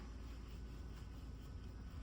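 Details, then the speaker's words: Mahindra XUV700 after steering work, engine running, blower off, wheel turned: only a low even engine hum with no whine, groan or knock; earlier steering noise is gone. "तो अब इस गाड़ी में कोई आवाज नहीं है। एकदम गाड़ी में आवाज हो गई है अपनी खत्म।"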